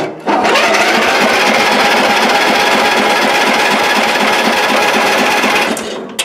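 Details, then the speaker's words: Old Ariens, unused for a couple of years, on choke with its dead battery jumped from a good battery. The starter chugs fast and evenly with no firing at all: cranks but no start. "yeah we'll give her a choke again well it'll crank"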